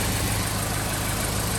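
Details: 2013 Chevy Caprice PPV, L77 LS V8, after displacement-on-demand delete: slightly lumpy, uneven idle beat over a low drone; rough idle caused by the wrong cam timing reluctor gear.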